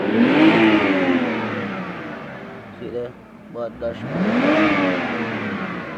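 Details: BMW 320i after a starter replacement, earlier no-start: engine picks up cleanly and revs rise and fall smoothly twice, no stumble or misfire; starting and running healthy.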